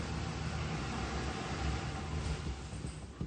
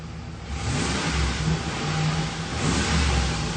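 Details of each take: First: Car with a previously replaced fuel pump, running on leftover fuel after cranking: low, uneven idle sags and fades with no response to throttle, stalling within seconds; fuel starvation because no power comes out of the fuel pump relay. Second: Ford Expedition after power returns to the fuel pump from the relay: engine pulls up smoothly and holds an even, steady note with no misses or stumbles; fuel pump getting power, charging normally.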